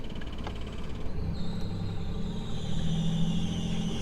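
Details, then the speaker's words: Sailboat diesel engine just started, with the tachometer reading low: a thin, high squeal rides over the low rumble from the old belt slipping on rusty pulleys. "so you can hear the squeaking behind the scenes so you've got the rusty uh pulleys and the old belt down there"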